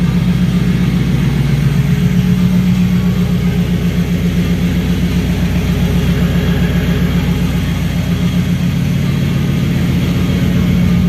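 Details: Turbo BMW E92 M3 idling after clearing all 32 fault codes and restarting: even firing pulses at steady idle with a constant hum from the loud scavenge pump on top; runs smoothly with no misses.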